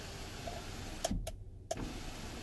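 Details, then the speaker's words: 2012 Ford F150 rear sliding window after replacing the relay, tested before reassembly: short clean motor whir with a click at each end, under a second, no strain or grinding; window slides open normally. "and sure enough it's working my window's working my top window sliding open"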